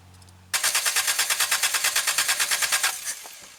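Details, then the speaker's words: 1.5 L carbureted Toyota 3A engine from a 1984 Tercel, cranking after sitting 10 years, fuel added to float bowl: fast regular chuffing with pops but no catch; accelerator pump not working. "So accelerator pump's not working."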